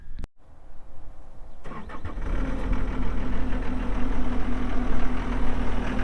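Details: 2018 John Deere 331G skid steer diesel, about 1,803-1,809 hours, loaded with options: brief crank, catches, settles into steady even low rumble at idle; normal start and idle.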